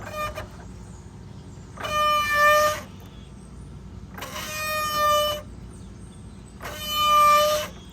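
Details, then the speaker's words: Polaris RZR Pro XP lifted with rear wheels in neutral and turned by hand gives three squealing groans of about a second each from the machine's centre. The factory carrier bearing failed at about 1,400 miles. "so right away I'm thinking carrier bearing. So I dropped the skid plate down, jacked it up, spun the wheels, and I'll show you what it sounds like."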